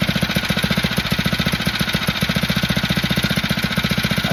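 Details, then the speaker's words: Phatmoto motorbike with motor and carburetor problems (poor idle, won't exceed 40 mph), now idling with the choke on after adjustments: a quick, even single-cylinder putter with no misses, a normal healthy idle. "okay so let's turn it on again just just just to see here I got everything on to see as you can see it's working great this time I had the choke"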